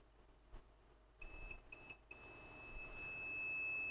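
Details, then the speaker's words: Digimark subwoofer with no sound: multimeter continuity test on the output capacitor gives a few chirps then an unbroken high beep, a dead short caused by the failed TDA7379 amplifier chip, to be replaced. "you can see what did I told do these are you see this capacitor on the output is reading a short why because of one good reason we have a fult sound I see"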